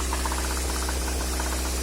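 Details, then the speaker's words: Honda A16A1 engine: steady fast metallic knock over an even idle hum, regular with rotation, traced to the second cylinder; quiet at plain idle, fades near idle when revving; cause unknown. "Появился вот такой стук."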